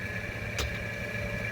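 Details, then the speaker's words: 2.5 Iron Duke four-cylinder with 5-speed at idle: even, steady idle hum with a faint constant whine, no misses or knocks; runs like a top, normal idle. "everyone runs like a top for what it is"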